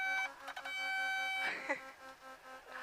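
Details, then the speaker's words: Light aircraft landing at Santa Paula, full 30° flaps, about 80 knots approach, power chopped and nose slowly raised in the flare: reedy buzzing stall warning horn sounds about a second, then stops, as the plane nears the stall. "Now when it starts to sink, just keep slowly bringing it back like this. See? Slowly bring it back. Hear the stall horn?"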